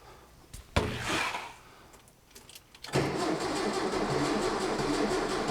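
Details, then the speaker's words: 1966 VW Fastback engine, first start after reinstall, car off road since 1979, battery connected: short uneven labouring cranking bursts around three turns a second, no firing; starter struggling, owner wonders about fuel draw and voltage. "all right just turn this key huh you're kidding me that starter is not happy are we drawing fuel maybe"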